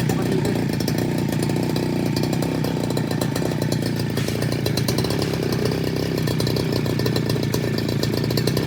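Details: Two-stroke brush cutter that had been bogging and dying on acceleration, with fuel leaking at the carburettor; holds a steady buzzing run at constant speed without stumbling or dying out; fuel delivery sounds healthy.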